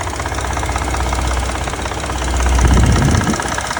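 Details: 2020 Ford Expedition Platinum: intermittent fast, diesel-like clatter of about four knocks a second at idle, swelling and fading, also on engine start; VCT cam phaser fault, dealer replaced all four phasers per technical service bulletin.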